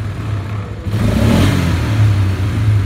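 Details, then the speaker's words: Revving in park and neutral for 5 to 10 minutes, the engine rises smoothly with no metal-on-metal rattle; the complaint could not be reproduced, though a loose spacer-like part was seen that can rattle. "we cannot get it to make any sort of duplication of a rap metal on metal rattle or anything I that sounds everything sounds normal like it should"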